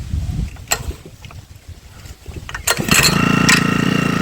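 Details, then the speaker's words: Honda WX15 water pump engine unused about three months: coughs, catches and holds a fast steady rattle only on choke, dies when choke is removed; fuel starvation indicating carburetor problem from disuse. "Chalk മാറ്റിയപ്പോൾ of ആയിപ്പോയി ഇതിന്റെ അർത്ഥം ഇതിന്റെ കാർബൈറ്റർ complaint ആണ്"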